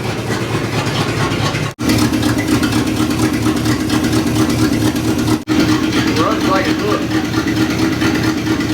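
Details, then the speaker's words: 1961 Chevy Apache, revived after 20 years parked in the desert, charging 13 V: an uneven, lumpy idle stumbling every few beats with two clear drops. Suspected plug miss, little vacuum. "Like Dad was saying, it's got a miss, so it's probably a probably a plug."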